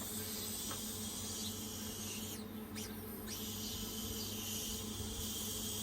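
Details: Car A/C recharge with R134a: steady high hiss of escaping refrigerant at the charging hose/connection while purging before connecting to the car; leak at the connection suspected, not confirmed.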